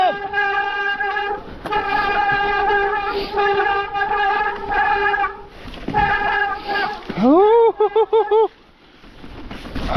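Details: Mountain bike disc brake: loud, steady high squeal repeating with each brake drag, then sweeping up in pitch before cutting out. Classic disc brake squeal.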